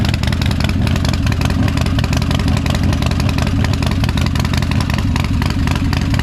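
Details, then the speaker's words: Harley-Davidson Dyna Street Bob Special, crashed, reportedly high-horsepower built engine, first start after sitting months on possibly stale fuel: loud lumpy V-twin fast idle, firm exhaust thump, no knocks; starts and runs normally. "Pretty happy to know that it starts and runs. She sounds like she's had a bit of engine work done"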